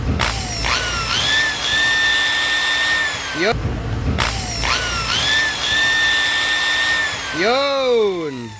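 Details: Makita NHP1300 drill after replacing the broken fan and fitting the bearing and carbon brushes: two smooth runs spooling up to a steady high whine and winding down, no rubbing or grinding; motor healthy.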